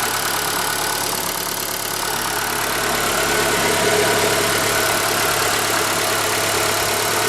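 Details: ZAZ Forza, 2,500 km, fresh 5W-40 synthetic oil, idle: light quick ticking about 214 per minute; persists when warm, vanishes briefly on throttle blip; owner suspects hydraulic lifters or injectors, later traces it to an ancillary unit, engine itself quiet.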